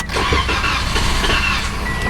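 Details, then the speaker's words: 2015 Toyota Corolla no start after being parked overnight: starter cranks steadily at an even rhythm, almost catches but never starts; suspected fuel delivery problem, fuel pump failure. "okay i almost wanted to start there uh so it might be fuel is what it sounds like"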